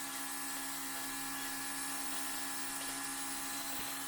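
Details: Fuel pump priming a 2002 6.0L drive-by-cable LS V8 during leak checks: thin, steady high-pitched electric whine with even hiss, no stutter, fuel heard going through the crossover tube; priming normally.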